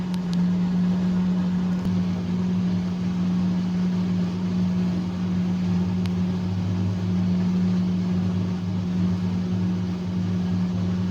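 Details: Fisher & Paykel direct-drive washing machine that had been grinding and would not wash or spin: steady low motor hum with a constant tone, running smoothly with no grinding or scraping.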